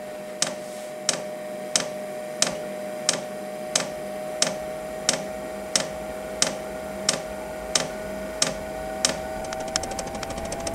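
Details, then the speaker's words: Vevor 5 kW diesel heater powered from the DC side of a Bluetti EB3A power bank at startup, current draw peaking just over 10 A: sharp fuel dosing pump ticks about every two-thirds second over steady fan hum; normal pump operation. "as the heater starts up you'll hear the fuel pump get going and then it will drop significantly so there's the fuel pump"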